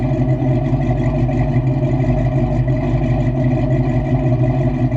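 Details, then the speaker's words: 1989 Ford Mustang Foxbody V8 with manual transmission, running after a $207 fix: deep, steady low rumble at an even idle with no knocks, misses or hunting; sounds healthy, normal idle. "sounds really good. She sounds good, man. I'm real happy with the car."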